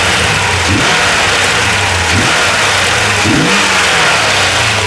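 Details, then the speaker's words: 1994 Chevy Corvette V8 with cold-engine misfire persisting after new distributor, cap, rotor, plugs and wires: steady, even low idle drone with no skipped beats; the previously bad misfire has gone away. "Did my misfire went away. It was missing really bad."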